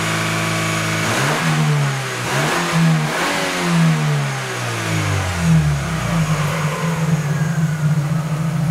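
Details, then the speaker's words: Chevrolet Aveo, mic about 50 cm from muffler, catalytic converter replaced by a spacer pipe: loud, deep exhaust note at idle rising and falling with throttle blips. "Итак звук после удаления катализатора"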